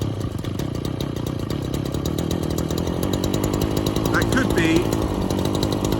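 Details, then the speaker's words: Small two-stroke off choke after mixture screw adjustment: high, buzzy, thin and strained note surging slightly; still lean, probably not getting enough fuel, and running low on fuel in the tank. "that's lane still but it's probably just not getting enough fuel now"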